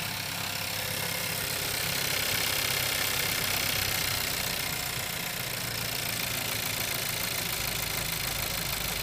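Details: Skoda Kodiaq engine at idle: a light, fairly quick tapping of about three beats a second under a hissy running sound; knock of unknown origin.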